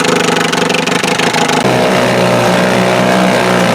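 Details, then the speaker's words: 1948 Sea King 5 outboard made by Gale, about 75 years old, carburettor rebuilt, coils and points swapped, probably first run in a long time: two-stroke pops unevenly at first, then settles into a fast, steady buzz; normal running. "Hey guys, not bad for a 75-year-old engine."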